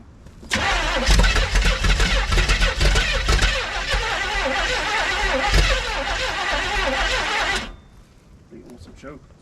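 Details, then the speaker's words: 1971 Chevelle wagon, cold outside, choke on, fuel pump believed fine: about seven seconds of uneven cranking with a few stumbling catches that never pick up; hard cold start. "choke. It's cold outside. It's just choking now."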